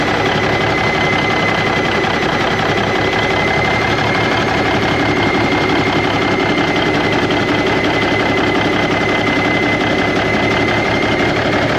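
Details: 1991 Freightliner, Cummins NTC-365 with bad throttle lag, now fed directly from a fuel bucket bypassing the ECM cooler plate into the PT pump: dense, unsteady clatter at steady idle, running rough and sounding worse.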